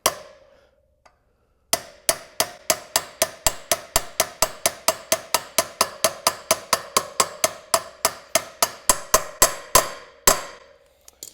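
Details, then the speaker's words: Yamaha 700 Ténéré wheel bearing replacement: new bearing driven into hub with a socket on the outer race, steady sharp hammer blows about once a second; the ring changes as it bottoms out, bearing fully seated. "And you can hear the sound changed when it bottomed out, so it's got nowhere else to go. So we know that it's in all the way."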